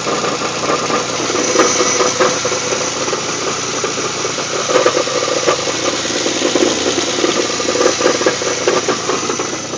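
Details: Pontiac Grand Prix GTP 3800 V6 at idle: loose, uneven metallic rattle clattering over the steady engine note.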